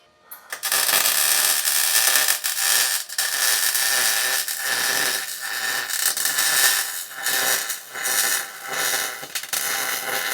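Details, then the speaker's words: 110-volt MIG welder with .030 wire on a 15-amp circuit, welding a bumper mounting plate on a 1937 Lincoln Zephyr: a steady, crisp hiss and crackle in short even beads with brief pauses. This is a normal, smooth MIG arc that has good bite. "Man, I mentioned this welder is a nasty little unit. And I ain't trying to sell you nothing. It's a 110 volt welder with 030 wire on a 15 amp circuit."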